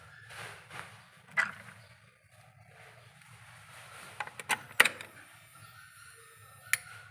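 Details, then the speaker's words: Panasonic inverter refrigerator not cooling, fan running, control board reconnected as original and powered on. A single sharp relay click, then near silence with no compressor hum; no voltage measured at the compressor feed. Faulty control board, no power to the compressor. "Rồi mặc dù là anh em nghe cái tiếng relay đóng cái tạch nha, nhưng mà nguồn lock không cấp không có."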